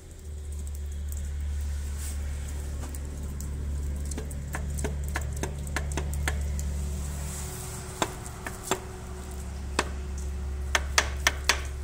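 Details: Hyundai H100/H200/H1 or Mitsubishi 4D56/D4BF diesel at idle with belts removed: steady low idle with loose, uneven knocks worsening toward the end, mostly at idle and gone at high rpm; the cause is a cracked cast-iron crankshaft.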